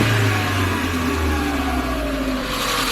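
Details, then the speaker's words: Chevrolet Matiz after engine rebuild (valve stem seals, head gasket, skimmed block), blipped at idle: revs stay high and sag slowly over a few seconds after the throttle is released; overrun cause unknown. "So, you watch my foot. My foot's off it and it still does it, look, it still carries on."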